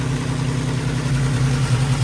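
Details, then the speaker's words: Squarebody Chevy at a fast idle with the timing a little high. A steady, even rumble with no knocks or misses; earlier rattling came and went as it oiled up. It runs far better. "That's what we like to see right there. How much better it runs now. It's absolutely amazing."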